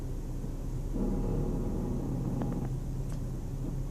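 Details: 2004 Chrysler Sebring: a low droning hum with creaks and knocks from the driver's side front wheel when turning the steering. Owner suspects a bad lower ball joint or tie rod; unconfirmed.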